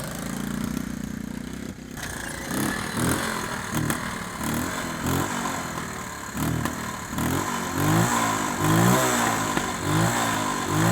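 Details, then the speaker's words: Honda ATC 110 barn find after carburetor cleaning, ridden with no choke. Single-cylinder revs rise, then sag and stumble each time the throttle is snapped full open, bogging under load. Owner suspects a float bowl or needle valve issue. "although you heard it bogging down a little bit I'm sure the thing when I hammer on the gas full throttle it would bog down"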